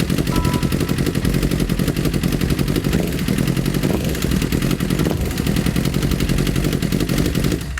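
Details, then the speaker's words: 2008 Honda CBR1000RR streetfighter with rebuilt engine, fluids filled and new exhaust fitted, idles with loud rapid metallic clatter at about four beats a second; engine knock at idle. "sounds very bad [Music] nope something's definitely wrong in there me it does them on idle it does want to accept throttle and it's nokinaki i'm very not happy right now"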